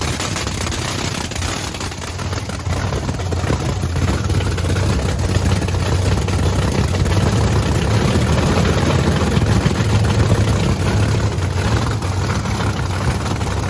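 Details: Blower V8 Camaro on methanol after cleaning gunked fuel nozzles: heavy, even low rumble firing smooth and steady without stumbles or rattles; not drowning, running properly.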